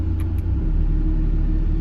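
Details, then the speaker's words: Mazda Miata after the idle was adjusted to about 850 rpm, with the AC switched on: steady, even low idle that steps up rather than sagging under the compressor load. No stumble; it handles the extra load fine. "it actually idles up instead of being dragged down it actually idles up which is pretty dang cool so now I'm pretty sure it can handle the extra load"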